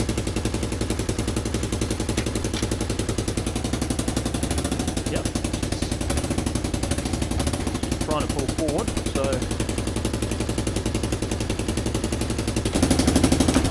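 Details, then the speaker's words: Roughly 30-year-old Kawasaki KLF300 4x4 quad: starts straight away, loud choppy exhaust beat stays even through the shifts with no knocks or misses; engine healthy, loud from a hole in the exhaust. "nothing much wrong with that. That sounds really good. Started straight away. She's pretty loud because there's a hole in the exhaust there."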